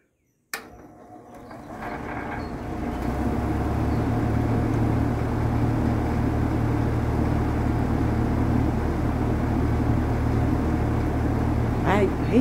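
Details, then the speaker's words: Vintage Sears Homart belt-drive window fan with a 1/6 HP Craftsman motor, dusty and probably needing a new belt and lubrication, winding up to a steady, even hum on high with no rubbing or knocking; runs smoother on high than on low. "it's actually performs better on high than it does on low honestly it runs smoother at least interesting"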